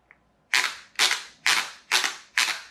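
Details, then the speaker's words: Chicco Jimmy Thunder toy RC car in hobby-grade conversion, testing a gearbox from another Chicco car: five sharp cracking snaps under overload; the slip clutch slips when overpowered, fine at normal power. "can hear that clutch is slipping as well so normal power no problem do it too hard and it slips"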